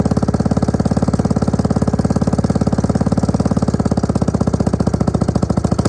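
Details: Suzuki LT250E Quadrunner quad idling after fuel pump replacement for fuel starvation, idle and starting problems: steady, even single-cylinder thumping with no surging or hunting; now fixed, normal idle.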